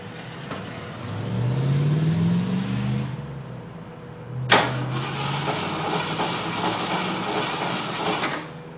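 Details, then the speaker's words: AMC Gremlin with a 290 V8 taken from a 1968 Javelin, sat in fields for years, fuel dumped in before starting: the starter spins the engine steadily in two tries but it never fires. Owner suspects no spark and checks ignition next. "Well, she turns over, but I don't think she's getting any fire. It sounds like she's not shooting any sparkage."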